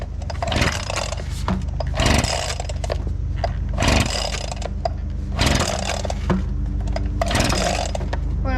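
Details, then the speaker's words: Abandoned two-stroke leaf blower, freshly fuelled and carburettor primed, running on cold start: buzzy engine surges about every second and a half then sags and stumbles; owner suspects a spark problem, improving only slightly. "it to run now I think we're having a spark issue sounds like it's getting better though oh yeah it's getting better but not that much"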